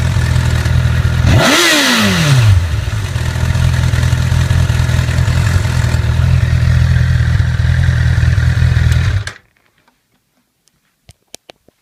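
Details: 2008 Honda CBR1000RR at 29,4XX miles: idle with a quick rev and light metallic clatter over the engine, suspected faulty cam chain tensioner; replacing the CCT removed the noise.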